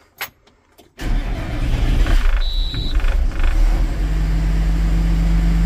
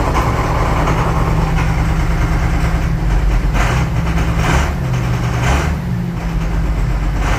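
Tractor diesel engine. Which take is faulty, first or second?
second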